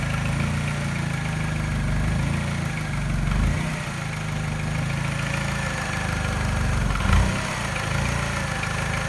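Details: Mini petrol engine at rough idle, after timing chain, tensioner and piston rings were replaced: faint, even light tap with a slight miss the scanner does not pick up, causing slight vibration. The tap disappears above 1200 rpm; cause unknown.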